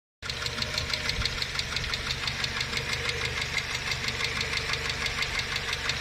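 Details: Idling engine with a fast, even light ticking of about three clicks a second from noisy hydraulic lifters. It is treated with a hydraulic lifter additive, after which the knock goes away.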